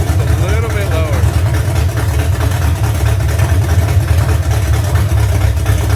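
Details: V8 truck being prepared for Power Tour 2025, just after cam break-in, idle brought down lower, valve adjustment seems good: deep lumpy heavy choppy lope from aggressive cam, steady with no knocks or ticks; normal idle.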